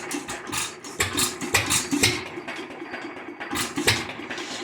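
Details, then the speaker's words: Lauson 2hp hit-or-miss engine after cam gear replacement: irregular sharp punchy pops about every second over quiet coasting; black smoke puff each firing, owner suspects rich mixture, unconfirmed. "I wonder if she's running a little rich I see it Puffs black smoke every time it fires"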